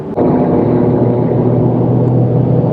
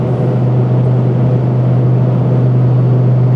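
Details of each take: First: Truck on new Mickey Thompson EXP tires at about 85 mph on the highway: steady, even low hum and roar with no thumping or wobble, still audible and felt but not as loud as the previous KM3s; normal tire road noise. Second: Truck on BFG KM3 mud-terrain tires at highway cruise around 85 mph: loud, steady low drone with heavy rumble and the whole cab shaking, only a low hum on the street; mud-terrain tread hum, tires rebalanced at each rotation but hard to balance.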